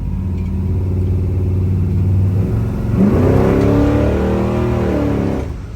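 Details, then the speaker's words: 1966 Chevy Caprice V8 with Holley 650 carburetor, driving: deep even burble swelling smoothly as throttle rolls on, no misses or knocks; exhaust sounds good. "She rolled down though. She sound good too. Ooh-wee."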